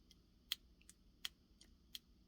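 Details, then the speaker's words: Worn clutch basket twisted by hand, deeply grooved with notched teeth: sharp light metallic clicks, about four in two seconds, as it moves back and forth; excessive clutch basket play, versus a solid good basket. "See how I can move it back and forth. And that's not good."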